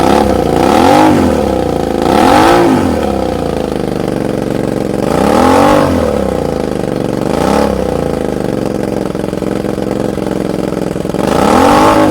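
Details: Suzuki SV650 with exhaust refitted, burning off leaked oil, bike on its side: repeated throttle blips over a lumpy idle with skipping beats; misfire more pronounced, spark plugs or coils suspected, unconfirmed.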